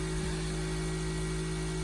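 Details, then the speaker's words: New BLACK+DECKER 8-slice extra-wide convection toaster oven set to 450: steady, loud electrical buzz at a fixed low pitch, not easing once at temperature; abnormal, too loud for home use. "I thought this noise would go away when it reached its optimal temperature, but as you can hear, for most homes, it's probably too loud to operate."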